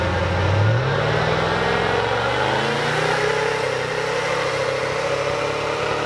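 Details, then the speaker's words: VEE080, a boosted LS V8 drag car prepped for the strip: revs climb then hold with a ragged, stuttering edge and uneven pulses instead of a clean pull. The engine is breaking up under boost, cause unknown. "um you can probably hear from the footage it's breaking up it's causing a few issues"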